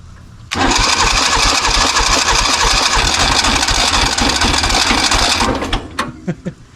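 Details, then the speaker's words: 1970s Kubota L1500 two-cylinder diesel tractor sitting 20 years, at full throttle with glow: long harsh crank with rough flutters, nearly firing but never running; fuel starved by faulty fuel line, diesel pouring from exhaust, possibly low compression. "It's at full throttle. It should have been It should have been going. It didn't get enough fuel."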